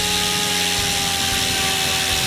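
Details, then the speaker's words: Goblin 500 electric helicopter, Castle Talon 90 ESC reprogrammed to Heli Fixed End Point mode: steady high motor whine with even rotor hum, no rattle or surging, head speed dropping back to normal mode; running normally. "it went down back down into normal mode and it went down again"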